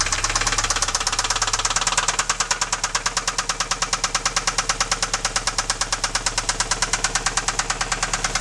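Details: Alfa 156 engine knock: loud, sharp regular metallic knocking about three per second at idle, started suddenly at 120 km/h in 5th gear on the highway; owner doubts it is the cam phaser; cause not yet found.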